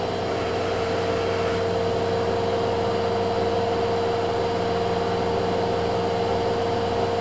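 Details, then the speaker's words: Kenmore (LG) 796.41392.511 front-load washer, 5 years old, running great, in a test cycle: quiet steady mid-pitched inverter-motor hum with a soft low rumble at about 1150 RPM, no grinding or banging; normal high-speed spin. "now it's spinning at about 12200 RPM or 1150 to be exact the inverter motor is super quiet on this thing I can barely hear it from the next room"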